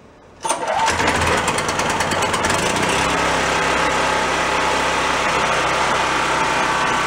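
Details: Roadside-found mid-size Chinese knockoff generator set, bench revived, governor adjusted for frequency: engine catches after a short pull and settles into a steady, even run with no knocks or surging while warming up; normal running.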